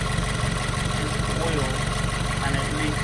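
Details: 2018 Subaru WRX base, Stage 1+ COBB tune, COBB intake, muffler/resonator delete: fast regular metallic clacking about four per second over the idle, seemingly from deep in the engine; owner doubts it is internal, no fix found.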